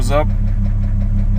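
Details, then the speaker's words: Jeep Cherokee 4.0L at 345,000 miles driving on a road trip with a cracked piston: low engine drone with a fast regular knock, piston slap from a broken skirt; still knocking but not blown up. "Still knocking like crazy, >> but it hasn't blown up yet."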